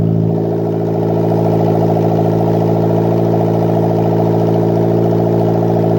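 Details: Custom turbocharged Toyota 1ZZ four-cylinder in an MR2 Roadster/Spyder, first start after build, PCV and breather venting to atmosphere, turbo oil feed left loose; smooth, even idle, steady pitch, no ticking or misfire: normal idle.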